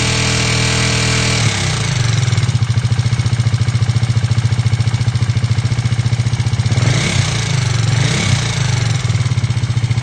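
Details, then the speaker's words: KTM Duke 390 V2 single after repair: intake and exhaust camshafts and two rocker arms replaced, valve clearances in spec, earlier loud metallic rattle from head oil passage blocked by gasket maker; quick even idle, faint valve tick, healthy. "So yun na nga po bale Yan na yung andar ng motor na natapos natin palitan ng cam shop yyung intake and exhaust pati dalawang rocker Arms so normal na normal sa ktm na meron siyang konting lagitik"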